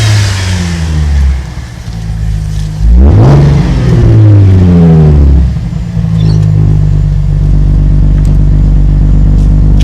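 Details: 2007 Holden VE Commodore Ute, 3.6L petrol LV2975 engine, just over 100,000 km: starts and idles smoothly, clean quick revs rise and fall with no knocks, ticks or rattles; healthy engine.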